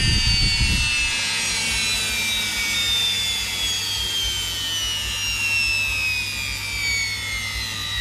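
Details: Electrolux EWF771 7 kg front-load washer in the spin-dry test after a no-wash, no-spin, motor-not-turning fault: smooth motor whine easing down in pitch, no knocking or scraping. The empty drum spins cleanly and steadily, and the bearings are still good.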